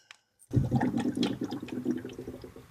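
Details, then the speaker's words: 2009 Chevy Impala bought with an overheating problem, just after running at 2500 rpm for 40 seconds with the cap on: bubbly, watery gurgling sloshes in uneven bursts after a sharp start. Bubbles come out when the hose is squeezed, so air is trapped in the coolant. "Oh, that just made a noise. It might still just have a huge air bubble in it right now. That's what I'm hoping for."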